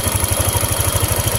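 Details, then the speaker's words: Honda Vario 150 scooter, no-ignition fault, now on a substitute coil with big spark: even single-cylinder idle about eight beats a second, no misses; confirms original ignition coil was the problem. "itunya kelihatan kawan ged dan motor sudah berbunyi ya berarti ya fix Ini e berarti fix Ini koilnya kawan yang bermasalah"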